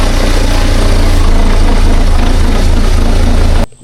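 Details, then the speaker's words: 2011 Buick Regal Ecotec Turbo from auction, at first start before repair: loud, uneven idle with a faint ticking beat about four times a second before shutdown; owner suspects a bad timing chain, consistent with slack. "It's a Eco Tech Turbo. EcoTech Turbo. And I'm suspecting that the timing chain's bad. I'm 99.9% sure."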